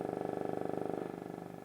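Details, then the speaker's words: Altec 604-8G studio monitor after a recone, driver wired straight to the amp without the horn, fed a 100 Hz test tone: raspy rattling buzz riding on the tone; the voice coil was centered wrong and rubs. "Shouldn't be making any of that noise. So if I push here down and push under here, I can get it to go away. So basically what that means is I centered my coil wrong, and everything probably needs to be completely redone, unfortunately."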